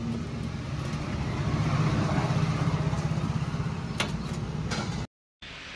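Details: Royal Enfield Classic 350 after fitting a new chain pad (the missing pad had let the chain touch over bumps): an even engine beat about four times a second with no chain slapping or clunking.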